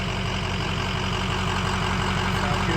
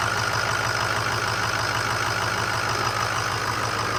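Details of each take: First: 2005 Ford F250 6.0 Powerstroke diesel at idle after the front-of-engine rumble was repaired: steady idle with even light clatter and no vibration or drone underneath; it is much quieter than before and sounds healthy. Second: 2005 Ford F250 6.0 Powerstroke diesel idling with the fan off, brought in for a progressively worsening front-end vibration and rumble: constant low growl and faint whine that persists; bearing play felt in the water pump snout, pointing to water pump bearing rumble.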